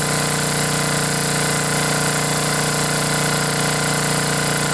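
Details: Briggs & Stratton 10 hp generator engine, first run after blown head gasket replaced and head bolts torqued to 165 in-lb, choke held open by finger: steady, even single-cylinder beat, no misses or knocks; normal running.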